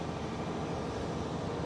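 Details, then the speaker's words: Hydraulic drive on a Rexroth control panel machine, forward selected and speed turned up, all four wheels turning: dense, steady low rumble with the pump straining slightly under drive load; normal working strain. "And I'll explain that in a bit, but I can also hear the pump straining a little bit."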